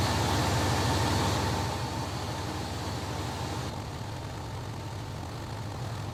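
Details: 2005 Dodge Ram 3500 5.9 Cummins diesel after replacing seized water pump, belt tensioner and melted-pulley fan belt: even steady idle clatter after startup, easing down with no knocks or squeals; healthy idle.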